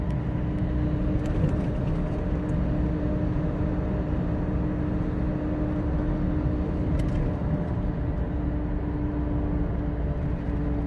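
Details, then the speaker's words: Mud-terrain tires from a Suzuki Caribian being towed behind a Toyota Revo, heard from the Revo cabin at about 81–90 km/h; steady loud droning roar with fixed hum, tire noise very clear: mud-terrain tire roar. "เต็มร้อยนะเนี่ยเสียงยางมาชัดเจนมากนะ"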